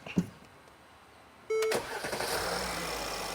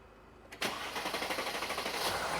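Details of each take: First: 2017 Mercedes GLS 450 3.0L, codes P0016/P0011: barely a quarter-second crank then fires into steady idle; normal quick start, no long crank, declared fixed. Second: 2017 Mercedes GLS 450 3.0L, codes P0016/P0011, on battery charger: quick cranking chatter running well over a second before catching; long crank before start.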